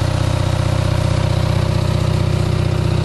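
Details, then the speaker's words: Onan 5.0 CCK-4R 5 kW three-phase dual-fuel generator, enclosure closed, no smoke: smooth, even low thrum at about four pulses a second, no misses or knocks, about 123-124 volts output; healthy running. "Let's fire it up. This is how it sounds. No smoke."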